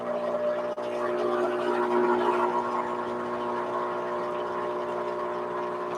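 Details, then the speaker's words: La Valentina E61 espresso machine, on for several hours, group head hot: steady pump drone with gurgling, spitting water during the cooling flush; overheated group sputtering. "okay let's flush through this as you can see it's kind of hot a little bit of sputtering you can hear the sputtering"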